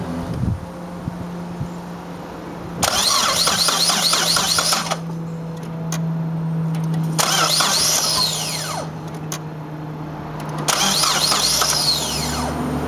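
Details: 2003 Saab 9-5 2.3T HO, 132K miles, morning cold start: starter cranks in long two-second bursts, three tries, engine won't catch; hard start, runs great rest of day once started.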